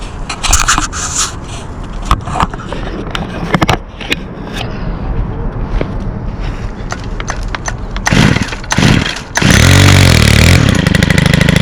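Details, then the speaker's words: 2022 Stihl FS91 28cc 4-Mix trimmer, first start of season after choke and prime; fires and holds a steady even buzz with no stumbling. Runs clean. "awesome got to love your skills that's for sure a that sounds so nice"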